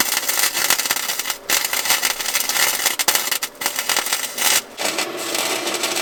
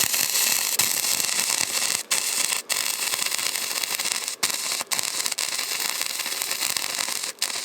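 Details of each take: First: Harbor Freight Titanium 125 flux-core welder in cold, bitter outdoor weather, welding the smokestack back onto the thin-metal muffler of a John Deere 210LE loader: crisp, even frying crackle with short pauses, no popping or sputter; a steady, stable arc. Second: Harbor Freight Titanium 125 flux-core welder repairing a John Deere 210LE loader: harsh frying crackle with irregular pops and brief pauses, from welding back over slag-laden metal just laid down: slag contamination.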